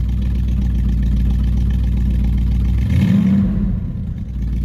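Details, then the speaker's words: 1969 Buick GS 350 after fuel filter change, previously boggy with no power off idle: steady low idle then quick clean rev rise around three seconds with no bog or hesitation; crisp throttle response. "um I can already tell it's going pretty good on it so far"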